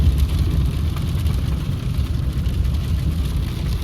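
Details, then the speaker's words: 2016 Ford F-150 2.7L twin-turbo V6 4WD in four-wheel drive at 50 mph: steady low tire and driveline drone with no front-end whine or growl; the noise returns only in 2WD, traced to failing front 4WD actuators. "We're on 4-wheel drive. At 50 miles an hour. Quiet."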